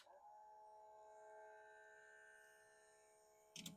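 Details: Panasonic NV-2110 3/4-inch U-Matic VCR from the late 60s or early 70s, playing a tape: a steady high whine with several fixed tones runs under the transport, then a clunk; a slipped drive belt.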